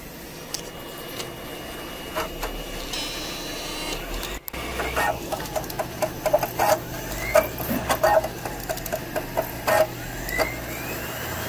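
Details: Compaq EN Pentium III 733 booting recovery CD, after swap to quieter power supply: CD-ROM motor whines up in rising sweeps with scattered seek ticks over steady fan hum; drive spinning and reading normally.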